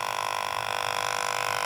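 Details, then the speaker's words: Aquarium air pump running: harsh steady electric buzz with fast rattle as its metal armature strikes the plastic housing when pumping, one side vibrating much harder. "ซึ่งเสียงที่เกิดขึ้นนั่นก็คือเสียงของเหล็กตัวนี้นะคะเห็นมเอ่ยออไม่ได้ดูกล้องเลยเหล็กตัวนี้มันกระทบกับพลาสติกข้างในตรงนี้เวลามันปั๊มนะคะมันก็จะสะเทือนใช่มย"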